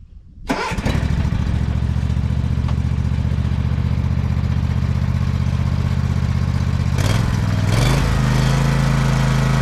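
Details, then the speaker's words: Exmark Pioneer zero-turn mower after deck belt reinstalled (popped off hitting a stick), oil change, service and new air filter: engine catches straight away, smooth even twin-cylinder throb, picks up speed cleanly; belt stayed on, not warm, pulleys quiet. "That belt stayed on. Doesn't feel like it's warm or anything. And the pulleys were quiet and everything."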